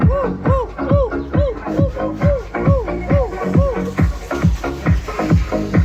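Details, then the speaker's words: Large speaker that was growling/scraping, tested in its box after the dust cap was re-glued with Araldite: thumping bass beat plays full and clean with no buzzing or rattling on low hits; the ugly noise is gone, speaker healthy. "Vocês viram, meus amores, que aquele barulho feio que tava fazendo alto-falante não tá mais."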